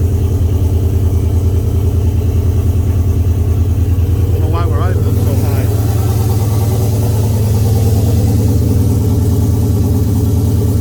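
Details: Oldsmobile 442 V8 first start after rebuild (new cam, pushrods, oil pump, valve springs, heads, gaskets following broken valve spring, bent valve, scarred piston); 92 psi oil pressure, steady even idle about three beats a second, no knocks or ticks; normal idle.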